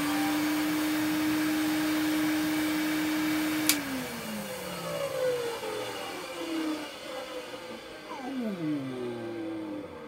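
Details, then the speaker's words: Numatic NV250 vacuum cleaner, first run after unboxing: steady high motor whine with a rough edge, winding down in pitch; owner suspects dry motor bearings, otherwise relatively quiet. "now that doesn't sound too bad I know it sounds rough but that to me sounds like the motor bearings are dry but apart from that is relatively quiet which I'm really surprised about"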